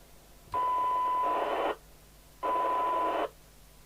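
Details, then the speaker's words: Midland 77-104DUK UK FM CB radio after ceramic 455 kHz filter replacement, heard via wall extension speaker, signal generator near 0.3 µV: test tone opens and closes cleanly in repeated bursts, normal squelch action. "Absolutely normal squelch action. Good, we're done."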